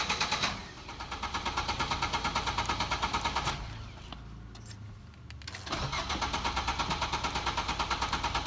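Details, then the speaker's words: Car cranks at about three beats a second, pauses, cranks again but never catches: crank-no-start caused by a loose battery wire; it started once the wire was fixed. "इनू यदी जी बैटरी वाली तार सी लूज सी हम आप फिक्स करती है तो गड्डी जी हम बिल्कुल ठीक है स्टार्ट हो चुकी है।"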